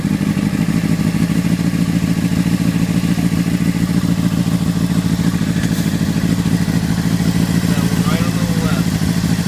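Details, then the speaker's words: Honda CBR600RR with one cylinder misfiring, faulty header identified. Uneven, lumpy idle with a stumbling exhaust beat that keeps dropping out; the engine struggles to stay running and dies. "Alright guys, this is what I mean by it's misfiring. That's the sound I'm getting from it."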